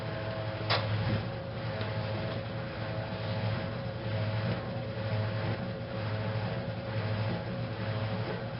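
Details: 1956 Whirlpool Imperial belt-drive washer, restored, going into spin after neutral drain: steady low hum with an even, gently pulsing churn and no knocks or scraping; spinning normally.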